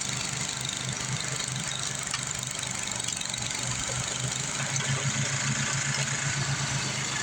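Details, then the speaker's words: Craftsman 826 track-drive snowblower after an auger belt replacement (broken belt, new 31-inch belt): the small engine runs steady under load with an even buzzing beat and no slipping or squealing. Auger drive working normally. "All right, let's fire this thing back up, see if we can throw some snow. Guess if it would help if we put gas in it. Now let's blow some snow."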